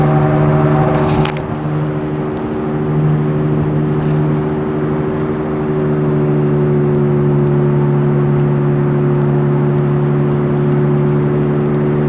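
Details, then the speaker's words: 2002 VW Beetle TDI on a test drive: steady low drone that starts around 30 mph in third and fourth gear and grows louder with speed; cause is a bad passenger-side front wheel bearing, later replaced. "It seems once it gets up to about 30 miles an hour, it starts a louder noise. "25, 30. There comes that droning like."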